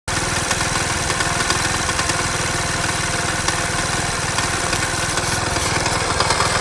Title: Стук в двигателе что это???